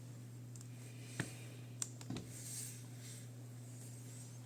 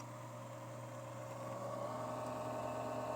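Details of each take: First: Casper Excalibur laptop after replacing a previously fitted incompatible fan (old fans had been lubricated with a WD-40-type spray): both fans give a quiet, even hum with no rattle or scraping, only light handling clicks; running normally. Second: Casper Excalibur laptop, bottom cover on, noise starting even without load: low steady hum with thin whine climbing midway; ill-fitting non-original cooling fan lubricated with WD-40-type spray is damaged, risks chipset failure, needs replacing.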